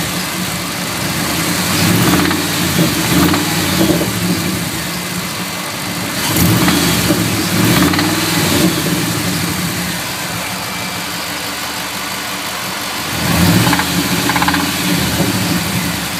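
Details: Ford 5.4 2V V8 idling with a faint repeating knock, about three a second, that sharpens during short throttle blips; cause of the knock not yet identified.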